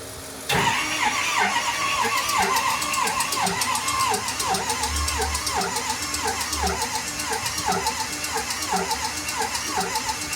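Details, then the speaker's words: Hard-starting engine cranks slowly and laboriously with an uneven beat about once a second and never fires. The owner fears the starter will burn out and suspects the injector or low compression. "Starter's going to burn off. Dude. I think it's going to be the injector. It's low compression."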